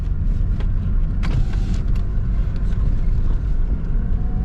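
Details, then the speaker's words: Lada 4x4 Niva driven on a dirt track after the seat was removed and its mounts lubricated with Litol to cure a squeak: steady low road rumble, a few faint knocks over bumps, no seat squeak. "ты что я вам скажу скрипов нет"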